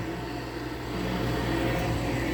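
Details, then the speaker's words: GE running: a steady hum with a faint rough whir and whining tones; worn fan motor bearings. "you can really hear the shot bearings on the GE though"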